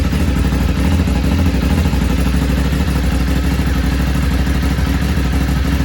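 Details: Ducati 848 V-twin just after a fuel filter change: a steady, even low rumble at a constant fast idle, with no knocks or rattles standing out; normal running.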